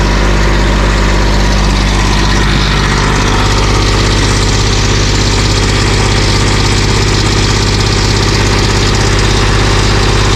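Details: GR2100 with a heat-straightened but unbalanced drive shaft, diesel idling loud and steady with an even low thrum, no shaft wobble or knocking; runs smoothly.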